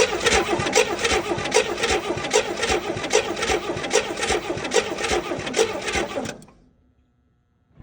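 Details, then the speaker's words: 1964 Chevelle 230 inline-six, first start attempt since 1991: steady starter cranking with an even chuff about once a second, never catching. Strong spark shows at the points but apparently isn't reaching the plugs; the cause is unconfirmed. "Okay. So, for some reason, we're still not getting spark even though we're getting amazing spark across the points right here."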